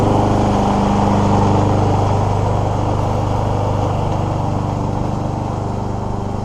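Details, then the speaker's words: Free scrapped Troy-Bilt mower with Honda GCV160 engine that cut out when using self drive, running after warm-up and an oil level fix; steady, even single-cylinder beat with no cutting out, running properly. "I've let the engine will warm up quite a bit more and didn't ever look too much oil in it so I'll sort there and it seems to have done the job"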